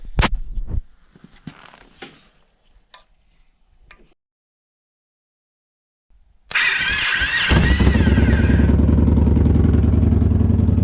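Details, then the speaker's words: 2014 Victory Cross Country Tour salvage V-twin, no mufflers, first start with starter jumped because the solenoid switch is missing: a few clicks, a pause, then it catches at once into a loud, steady open-pipe lope; healthy. "Sounds healthy. The Salvage Not Salvage bike runs, and it sounds really good. I mean, it's got no mufflers."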